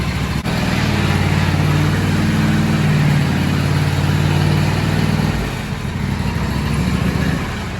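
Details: John Deere D160 lawn tractor running after transmission replacement, hydro release rod pushed in: small engine settles into a steady, even low drone with no knocks or misses; runs smooth and healthy.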